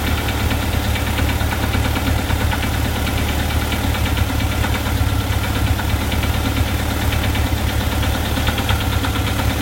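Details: VW Type 4 flat-four at warm idle: uneven, random light knock mixed into the idle beat, only when warm and gone above idle; owner suspects a loose cam gear or a hydraulic lifter loose in its case bore.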